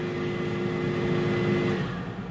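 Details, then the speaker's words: New Pampered Chef air fryer after its cycle ends: soft, steady fan whir that runs evenly and then tapers as the fan runs about 30 seconds to cool the inside; normal cooling run-on. "it says end you can hear the fan still going and there's an indicator light to tell us the fan is still going that will last for 30 seconds just to help cool the inside"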